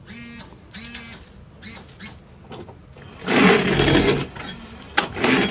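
Wiper motor whirring back and forth with a scraping, catching sound at each end of the sweep, likely a blade overtravelling and snagging.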